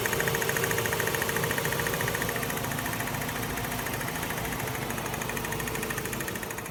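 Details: 2006 Mazda RX8 at idle: constant sharp clicking about three to four ticks a second, still present after fresh oil change; owner told it may be SSV or compression, cause unconfirmed.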